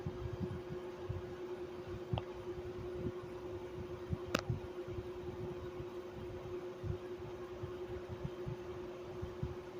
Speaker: This fan motor is extremely wore out and the bearings are shot. So, it's a little bit little bit rally sometimes.